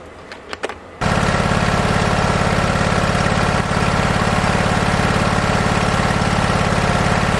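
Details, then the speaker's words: Husqvarna 2246LS V-twin mower running after startup: uneven, lumpy pulse about 214 beats a minute, popping badly above half throttle; one cylinder much cooler than the other, misfiring. "It does run and drive. Um, it doesn't like to go above about half throttle. It starts popping really bad."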